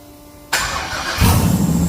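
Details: 6.0 LS-swapped S10 during turbo install, breathers not fitted and tuning still needed: starter cranks briefly, then engine catches into a loud, uneven, lumpy rumble with no exhaust fitted; running rough.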